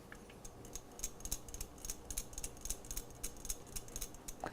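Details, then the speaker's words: MSR XGK EX white gas stove, shaker jet: light, irregular metallic ticks, about three or four a second, from the cleaning needle inside the jet that clears carbon buildup; normal. "That is a little needle inside this shaker jet, or the jet that shakes, and it gets rid of the carbon buildup of the fuel, because when you're using these stoves, eventually they just carbonize because of the fuel burning."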